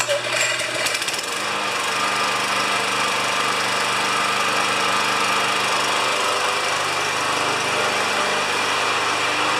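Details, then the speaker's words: Briggs & Stratton 7.25 HP mower that wouldn't restart when hot, after an ignition coil replacement gapped with a business card: brief start-up rattle, then a steady even buzz with no misfire; normal running. "we'll start it up we'll let it run for a few minutes and then we'll test it and see if it restarts when it's hot that was the original problem"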